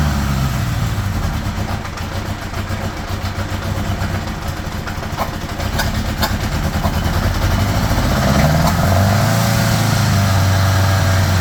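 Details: 1975 Honda GL1000 Gold Wing flat-four, cold start after water pump gaskets and O-rings replaced (earlier weep-hole coolant leak): catches and settles into smooth, even burble, idle a bit high on choke; no leaks, much less smoke.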